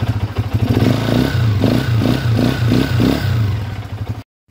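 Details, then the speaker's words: Honda TMX 125 single-cylinder before overhaul and 200cc conversion: rough run with loud rattling clatter and heavy knock on every beat, described as noisy, damaged timing gear and connecting rod. "Makalampag, maingay yung timing gear, magaspang, malagitik, connecting rod yung tunog niya, sira."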